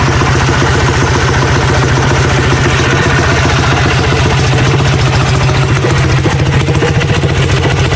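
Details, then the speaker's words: Coleman CT100U mini bike with Hemi Predator 212 single-cylinder engine, just fitted with 18 lb valve springs and fresh oil, first start after reassembly: loud, quick, steady thump at fast idle, no clatter or misses, sounds beefier than ever; running normally. "oh yeah she sounds beefy beefier than ever"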